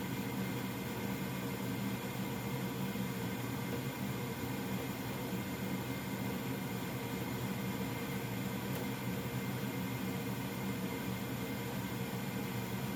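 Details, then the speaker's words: Old Goodman gas furnace running after startup: steady even rush of air with low inducer and burner hum, no rattles or scraping; though owner remarks it doesn't sound too promising, it still works; normal operation. "that doesn't sound too promising but as you can tell that that old-ass thing still works"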